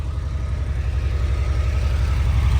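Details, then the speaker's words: 1982 Porsche 911 Targa, same owner since 1983, sat about five years: cold start gives an even low idle with steady pulse, no knocks or ticks, no smoke. Seller notes it chokes and dies if revved before warming up. "So like I said, it always fires right up, even when it's cold. It does not smoke whatsoever."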